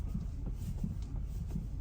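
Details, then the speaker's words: 2010 Hyundai Santa Fe, struts just replaced, wheel turned left and right at standstill: dull low clunks, loud from the right side; owner suspected ball joint or tie rod, found to be a worn lower ball joint. "it sounds pretty loud from the right side"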